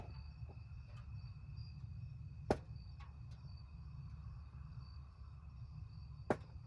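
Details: 2020/2021 Ford Transit 350 HD EcoBoost AWD (Coachmen Beyond van), minutes after shutdown, hot engine bay: two sharp pops seconds apart with faint ticking between; owner suspects fluid leaking onto a hot surface, seemingly right-hand side.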